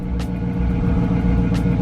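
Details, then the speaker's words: Hemi Chrysler/Dodge car idling with a faint constant whine from a failing alternator; battery light on, voltage only about 10.9–11.9 V instead of 13.5–14 V, so alternator replaced. "I don't know if you hear it but the car is making a whining noise which whenever that noise started my battery light did turn on"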